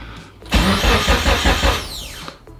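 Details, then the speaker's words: Mitsubishi Evo 8 after new ignition switch, new starter and cleaned grounds to stop the engine cranking on by itself: about one second of strong cranking that stops cleanly on key release; starting system fixed. "Okay, that's a good sign. Let's try it one more time. Beautiful, sick. Starting system is fixed."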